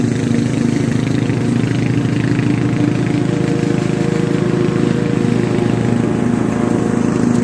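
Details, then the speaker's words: Restored Craftsman T100 riding mower after belt replacement: loud steady single-cylinder drone with even blade hum and no rattling or grinding; deck now sounds normal, previously sounded like big marbles in a steel drum. "not exactly sure what it happened but the deck actually sounds like it's supposed to Mary's going to be happy the whole neighborhood is going to be happy because it's not going to sound like a bunch of big ass marbles running around in the steel drum"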